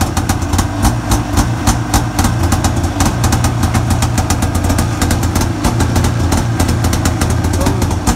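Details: Arctic Cat 570 snowmobile, Japanese two-stroke engine, electric-started at minus 40 on new Varta AGM battery with full choke; crisp, fast idle with steady popping and even beat, no misses or stumbles; normal cold idle.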